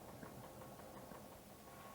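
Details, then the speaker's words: ABC Hansen horizontal stone mill idling with grain shut off and stones loosened via the clutch handle to blow out flour: steady, even whir with no knocks or surges; normal idle. "let the grinding mill run idle for a few minutes to ensure that as much flour as possible is blown out of the grinding mill"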